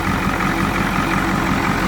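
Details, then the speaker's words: Ford F250 with 7.3 IDI diesel hotwired from under the hood (fuel shutoff solenoid jumped, glow plugs cycled, starter solenoid arced with screwdriver); steady, even diesel clatter at settled idle, no misses or knocks: normal idle. "now take a flathead screwdriver jump across here and we're running"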